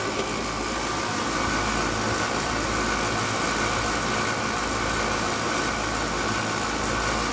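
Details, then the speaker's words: Two-ton apartment AC condenser, system equalized, capacitor tested good, booster fitted: only steady fan rush and electrical hum, compressor never kicks in; compressor fails to start, whole condenser to be replaced. "threw a booster on there just to see if i can get the uh compressor to fire still nothing and you can hear the way it sounds as well"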